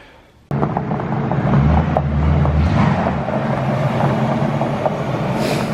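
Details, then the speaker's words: Supercharged, 5-speed-swapped Crown Vic after replacing an arcing coil pack and reversed mass airflow pipe; steady, deep, even rumble with no misses; smooth idle. "sounds like it's way better we found a cool pack that was arcing and we replaced that"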